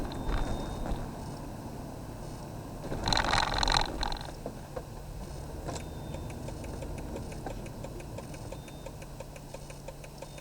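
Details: Car with aftermarket LED turn-signal bulbs while driving: fast, even ticking of about four ticks a second over engine hum, the hyper flash on either side that requires a load resistor.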